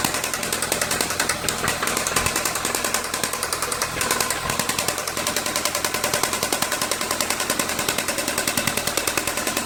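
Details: VW Santana AP 1.8 engine, oil at level with new oil and filter, no smoke, oil pump, hydraulic lifters, camshaft and timing already checked: loud sharp regular metallic knock about three per second; owner suspects connecting rod play.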